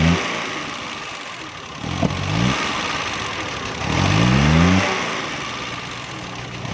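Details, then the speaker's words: Suzuki Mehran 796 cc car running on gas: revs surge and fall away instead of climbing, with sharp backfire pops; won't take revs; ignition coil found supplying too little current, causing the backfire. "दोस्तों, ये गाड़ी रेस भी नहीं ले रही और बैक बहुत तेज़ लगाती है।"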